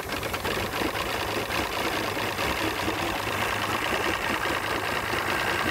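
An uneven, lumpy idle with irregular stumbles and a faint tapping over the engine hum suggests this outboard is idling roughly.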